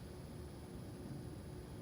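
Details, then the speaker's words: New air conditioner, about 2–3 weeks old, running, possibly only in dehumidifying mode. Quiet, even hiss and low hum with no knocks, rattles or surging: running normally. "and as you can hear it it is running I think it's only in dehumidifying mode"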